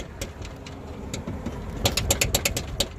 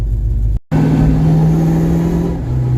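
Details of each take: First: 1982 Ford Mustang GT, newly lowered, with the sway bar removed. Sharp, irregular hard knocks, about six in a second, over a faint engine. The knocking has worsened since the sway bar came off; loose upper control arm. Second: 1982 Ford Mustang GT driving after lowering and sway bar refit: steady road and engine drone with no rear knocks or clunks over weight transfer; rear suspension now quiet.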